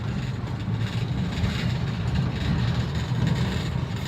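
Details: 2009 Toyota Avanza 1.3 after engine flush, previously sluggish with unstable rpm and rough running: steady, even low drone cruising in a high gear with no shudder or surging; engine pulls cleanly.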